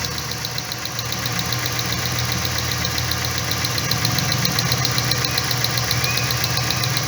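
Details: 2012 Dodge Ram whose complaint is jerking when hot, idling during coil 3 spark test; uneven stumbling beat about twice a second with hissy top end, one cylinder dropped, induced misfire.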